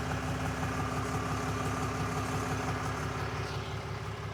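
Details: 2022 RAM 3500 idling after 2 hours of driving: steady idle with a regular low pulsing near three beats a second over a deep rumble; owner unsure if normal, source unclear.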